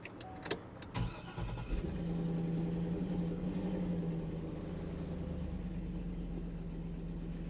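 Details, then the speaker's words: 2006 Chevy truck whose complaint is it keeps running with the key off: short crank catches quickly, then a low, uneven, lumpy idle that never smooths out; running rough. "seems to run not very well but it runs"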